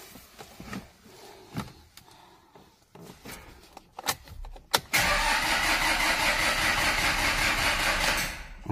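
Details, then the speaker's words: Chinese-made Zhongxing diesel pickup in cold high-altitude Tibet, no-start: a few clicks, then the starter churns about four seconds without firing after starting fluid; battery drained, exhaust/intake pipe found cracked, fuel waxing suspected; later started with a jump pack. "喷了启动液也没打着，电瓶打了没电了，拜拜朋友们。"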